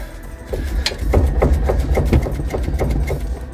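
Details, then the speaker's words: London black cab front suspension, wheel off: repeated dull clonks, about three a second, as the upper arm is rocked by hand; worn upper arm bushes letting the arm knock, confirmed source of the clonking heard when moving on full lock. "100%. That is my clonking. So I think we're onto a winner now."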